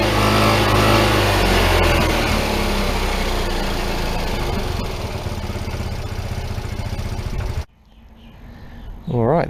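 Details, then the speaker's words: PGO T-Rex 150 single-cylinder scooter, around 2012, first start after long sitting and carburetor jet cleaning (jets fully blocked); runs a little high, settles to a steady even idle after idle adjustment, on little old fuel; normal idle, needs tune-up. "start it up pretty good um just needed to mess with the idle there to get it to settle down um it'll need a little bit of a tune-up i think"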